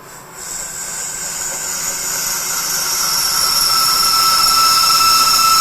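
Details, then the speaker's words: Lathe hogging high-impact ductile iron marine engine coupling in a four-jaw chuck, eighth-inch-per-pass cut, compound tight: thin steady high whine builds and holds pitch under load; tool singing. "probably because they're kicking out just a little bit farther we're getting that line okay we're not gonna be able to listen to that wine all the time"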